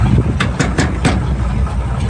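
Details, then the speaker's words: 1971 Chevy pickup V8 with points ignition, power steering and brakes, idling: deep steady even burble, no misses or knocks; runs nice and smooth, though a belt squeal and a little exhaust noted afterward. "Power steering, power brakes. That really runs nice and smooth."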